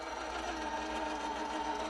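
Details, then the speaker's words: RC crawler with Kingv 3532 1470kV motor and Robinson 18-tooth pinion: steady, busy mechanical whine with clattery edge and even pitch, all axle ring-and-pinion noise, since with driveshafts disconnected it sounds different. "All that sound is ring and pinion. All of it. Because if you disconnect the drive shafts and hit power, it goes whoo."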